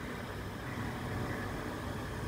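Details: KDK KU408 16" wall fan at a school running with a rough, steady rumbling whir instead of a smooth hum; the motor bearings are gone.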